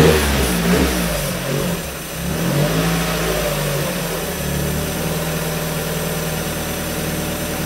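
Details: 1994 Mazda Miata NA with 2000 NB engine on Megasquirt and EDIS-4, 4-2-1 header, Yonaka exhaust, restarted to locate a coolant leak: steady, even low idle with soft consistent pulse, no stumbles or hunting; normal idle.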